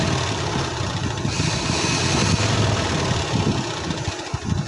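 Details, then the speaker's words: Sewing machine after cleaning and oiling: even steady whirr with soft low rumble, no knocks or catches; runs smooth and free, much quieter than before, when it was loud and ran heavy. "देखें कितनी इसकी आवाज़ कम आ रही है। पहले इसकी बहुत ज़्यादा आती थी और ये चलने में भी बहुत मुश्किल हो रही थी इसकी।"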